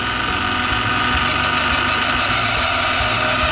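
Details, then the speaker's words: Valve refacer grinding a 3SGE cylinder head valve at 45 degrees for a 5SGTE build; grinding pulses and catches once per turn instead of staying smooth, so the valve face isn't concentric and needs more grinding. "If you can hear that inconsistent noise, that means your valve face isn't concentric."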